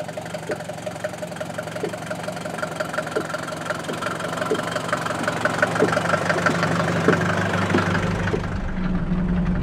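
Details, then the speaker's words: Mercedes 200D taxi-model diesel just recovered from a forest, driven to assess damage: even diesel clatter with an extra irregular knocking about three per second from the rear; owner fairly sure it is the brake, unconfirmed. "Aika, aika eksoottinen kolina kuuluu. Kyllä mä, aika eksoottinen kolina kuuluu tuolta takaa, mutta kyllä mä luulen, että se on tuo."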